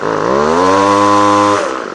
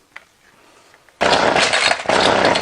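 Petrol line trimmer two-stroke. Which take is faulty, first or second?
second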